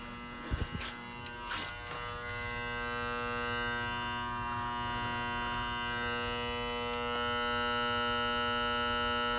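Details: Honeywell control box buzzing when the downstairs heat is on: steady electrical buzz with low hum and whine, occurring intermittently.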